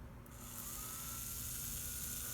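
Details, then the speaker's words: Slot car chassis motor, powered from a battery through a lane power reducer under construction, running fairly slow: thin steady whine with light buzz, even low speed without surging; normal running. "Now you can hear the car going fairly slow."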